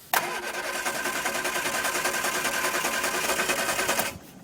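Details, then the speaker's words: Barn-find Triumph Spitfire with freshly rebuilt carbs, cranking about three compression pulses a second for four seconds without catching; no start because the ignition coil lead was left unplugged. "messed with a little bit bit more off-camera I'm really dumb I forgot to put the plug the coil in there"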